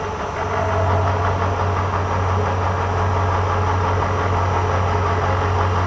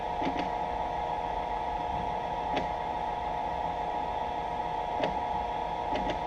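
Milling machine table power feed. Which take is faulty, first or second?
second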